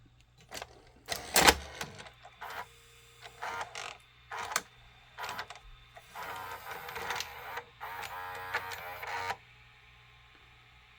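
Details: Sony SLV-575UC VHS VCR loading a test tape: a quiet run of clicks and short motor whirs, then a steady threading hum into play. The tape loading mechanism works normally.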